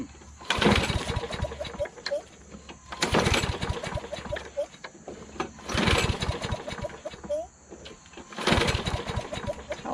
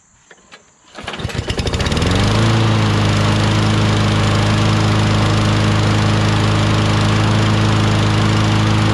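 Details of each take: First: John Deere JS26 self-propelled mower with a Briggs 6.75 Quantum engine, swapped replacement carburetor: three pull-start bursts about three seconds apart, each coughing briefly but never catching; that carburetor was found trashed and very dirty inside. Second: John Deere JS26 self-propelled mower, Briggs 6.75 Quantum engine, after refitting the original carburetor with the second carb's gasket, not leaking: a few pulls catch, then it settles into a steady, even run with no misses or surging.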